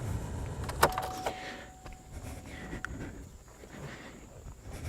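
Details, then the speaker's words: 2004 Chevy Cavalier, replacement air inlet (recirculation) actuator motor powered by key-on before fitting to its rod: faint steady whir for about two seconds, then stops at its end stop; normal travel. "till she hits a stop. And now we've kind of got it very close to where we want it."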